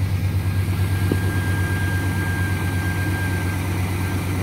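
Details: 2004 Chevrolet Silverado 1500 5.3L V8 at startup idle: a constant high whistle over a low rumble. It began after a water pump replacement and also occurs when accelerating and during shifts. Owner suspects a vacuum line or the intake manifold.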